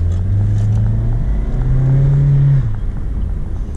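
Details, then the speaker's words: Used car on a test drive, oil on transmission and pan from a known valve cover leak: downshift from about third to second, throttle applied, engine note climbs smoothly then drops cleanly as it upshifts to third and probably cruises in fourth, no flare or clunk; normal acceleration and upshift. "Okay, so we downshifted from our probably third gear into second. We gave it throttle, it went up to third gear, and now we're cruising probably in fourth gear."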